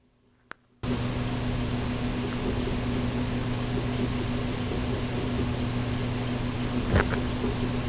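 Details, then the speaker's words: Mechanical automatic self-winding Stauer watch, microphone on the balance wheel: crisp, even ticks at a quick steady beat over a low hum; the balance swings cleanly, a healthy running watch. "I want to see how this microphone works on the balance wheel can you hear it tick that's the question if I stop talking you can"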